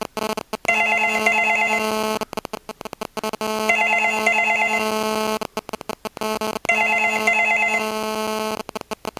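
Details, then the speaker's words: Australian landline double ring tone with a nearby digital mobile phone that placed the call: a harsh stuttering buzz chops between the paired ring chirps, caused by cell phone radio interference entering the audio circuit. "You can probably hear the buzzing sound from the cellophone there as well."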